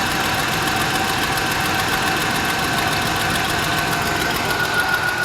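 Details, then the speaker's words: 2004 Dodge Dakota 4.7L V8 just after a cold start, before an engine flush. Faint fast ticking from the driver's side over a steady idle, fading after a couple of minutes of running; hydraulic lifter tick. "it's not that loud it's just uh on the driver's side and it actually goes away after a couple of minutes of the truck running"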